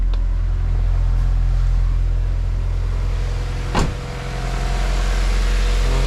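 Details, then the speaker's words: Honda Civic EG8 with swapped B16B Type R engine, rarely driven, just started on a battery from another Civic: steady four-cylinder idle, even low hum, no tapping or misses, one brief click midway; sounds healthy. "Running fine, sounds healthy. Like I said, never drove it."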